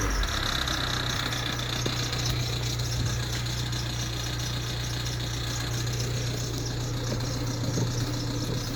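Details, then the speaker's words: Ford Transit Connect diesel idling: a low drone with faint, uneven light tapping, which disappears when revved. The vacuum pump, high-pressure sensor and cam sensor are new. The owner suspects the power steering pump; the source is unconfirmed. "do you know what that rattling sounds like the power steering pump"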